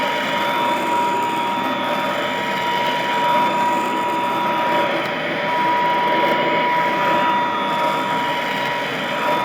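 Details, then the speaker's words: Vintage all-metal Royal Model 153 vacuum, 3-amp bushing-style motor, owned 22 years: steady airy rush over a fixed high hum, no knocks or grinding; smooth, very quiet, normal running. "Wow, what a smooth running, very quiet. I mean, it's the kind of sound that might help you sleep."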